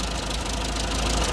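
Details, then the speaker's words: Classic TO20 tractor, first start after gas tank work with rag over filler in place of cap: steady low even chugging idle with no misses or surges, quieter than the restorer's own tractor; normal idle. "I'll take this old stuff any day of the week man that's just that's always exciting always exciting and it's so much quieter than mine I got to get a muffler for mine"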